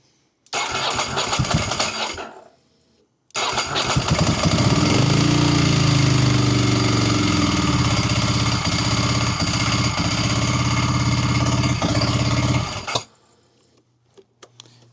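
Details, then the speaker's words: Ducati with kickstand switch jumpered out: starts, falters and dies, restarts and revs; below about 2,000 rpm idle uneven and hunting, above 2,000 it catches; kickstand ruled out, relays next suspected; low-rpm stumble, which it did not have when first running. "Seems like if it's under 2,000 RPM it seems to stumble. Over 2,000 it seems like it's enough to catch it as it comes back on, but we've ruled out the kickstand, so we're going to put all that back together and I guess we're on to the relays now."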